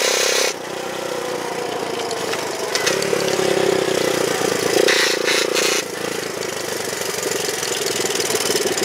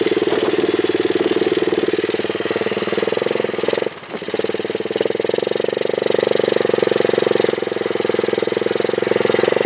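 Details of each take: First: Honda chopper: a loose drive chain apparently rubs inside the housing near the battery tray bracket, giving a rough scraping drone over the engine that grows under torque; owner plans a tensioner pulley. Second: Honda chopper ridden after cutting off part of the over-welded battery bracket: steady engine pulse of about four beats a second with no scrape or rub from the chain; it runs quiet and healthy.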